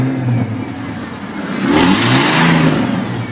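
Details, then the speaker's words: 1995 Ford F-150 with the check engine light on: revved, the engine stumbles roughly instead of pulling cleanly, a miss the owner attributes to an EGR system fault not yet pinpointed. "can hear it missing. And I know it's in the EGR system, so I just need to figure that out."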